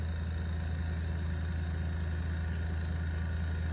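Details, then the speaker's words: Brand-new airbrush compressor, just delivered, sitting on a hollow box that makes it louder: steady low hum with even pulsing, no knocks or rattles, quiet; running normally. "And if it wasn't setting on this hollow box here, it would even be more quiet."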